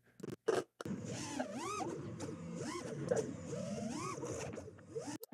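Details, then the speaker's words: FPV drone motors: motor whine sweeps up and down with choppy, uneven stuttering patches throughout pitch moves while roll moves are clean; electrical noise reaching the flight controller. "throughout that pitch move there, you're hearing it kind of stutter as it goes around."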